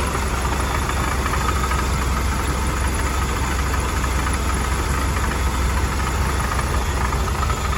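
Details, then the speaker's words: Warm 1979 Hurst/Oldsmobile Cutlass W-30 V8 idling after a warm start, original mileage, heard under the open hood; loose, uneven tapping knock riding over the lope, an engine knock at idle with cause not yet pinned down. "anybody that's unfamiliar that lovely knocking sound is courtesy"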